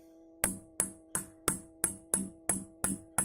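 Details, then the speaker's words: Orange RockerVerb 50 valve amp, tapping each of the four power tubes in turn: sharp taps each followed by a ringing metallic ping through the speaker; two of the four tubes are microphonic and need replacement. "But 2 out of these 4 tubes are microphonic. Let's have a listen."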